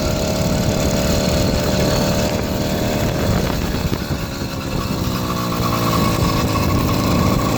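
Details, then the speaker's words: 80cc two-stroke motorized bicycle on stock carburetor, cleaned, needle on highest setting, plugs fouled with fuel: uneven lumpy burble at low idle with no crisp note; running extremely rich, rough running; new ignition coil/magneto pending. "it seems like it's running really rich extremely rich"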